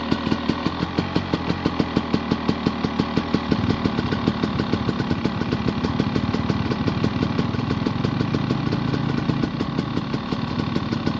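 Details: Honda dirt bike that is hard to start especially early in the morning, now running after starting; steady, even popping beat at low idle with no misses or knocks; normal idle.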